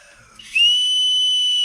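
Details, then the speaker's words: Ford Transit 2.4 TDCi PHFA diesel, number one cylinder misfire, leakdown test at about 6.5 bar with ~15% leak: sharp steady whistle of escaping air at the intake port, leaking inlet valve. "come over to this one we've got leaky valve leaky inlet valve see that one's nice and nasty sealed"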